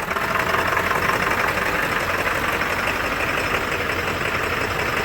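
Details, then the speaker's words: Late 1999 Ford Super Duty Powerstroke diesel, first start after sitting over three years: loud uneven clatter, hissy top end, stumbling idle that won't settle, then cleaning up. Rough idle from air in fuel system. "Well, this is what it sounds like when you have air in your fuel."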